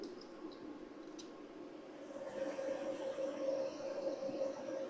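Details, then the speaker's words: EG4 6000XP 48V off-grid split-phase inverter under load (mini split running), fan settings raised from 70 to 100 with slope disabled: over steady rain hiss, fans one and two ramp up to a firm mid-pitched hum, normal cooling at full speed. "not sure if you guys can hear it there's actually a lot of rain outside but you can hear the fans ramp up so fan one and two"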